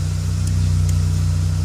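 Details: VW Polo 9N after refitting a damaged vacuum hose that caused a rough idle and very stiff brake pedal: steady even low idle hum, expected just under 1000 rpm, with no stumbles; it now feels smoother.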